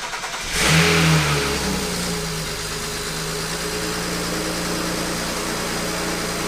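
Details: Newly built BMW N54 engine in an E93 335i, first start after the rebuild with dual cone intake, coolant bled and battery charged: cranks and fires at once with a short rev flare, then a steady, even idle with no knock or misfire. Some smoke, thought to be a coolant spill.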